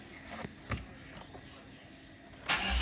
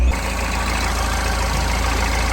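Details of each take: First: Mahindra Xylo diesel, complaint of cranking but not starting for 3-4 months, before repair: a few faint clicks, then the engine catches and runs about two seconds before dying, starting momentarily then shutting off; immobilizer cutting fuel suspected. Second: Mahindra Xylo diesel, in neutral, after repair of the injector circuit that caused a 3–4 month crank-but-no-start: starts and holds a steady, even, low idle with no misfire or stumble, revving cleanly when accelerated; engine running normally.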